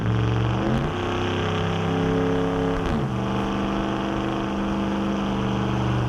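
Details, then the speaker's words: 2009 Dodge Ram 5.7 HEMI V8 (fresh Jasper replacement engine, just broken in) with new Flowmaster Outlaw stainless dual exhaust replacing Banks Monster, windows down under hard acceleration: deep even rumble climbing through revs, dipping at shifts; loud, aggressive only on throttle, healthy. "The Flowmaster exhaust here is only loud when you're on it. Like when you're putting your foot into it, it's loud and it's aggressive. It's deeper."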